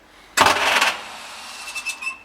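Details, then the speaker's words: 1939 Bristol bus diesel, rebuilt engine, first start attempt since reinstallation, decompressed: a short half-second metallic clatter from the starter, then nothing; starter pinion not turning the engine over, cause suspected, not confirmed. "so the nasty clattering noise that you can hear at the time I thought that was the start opinion bouncing off the ring gear but it certainly isn't turning the engine over"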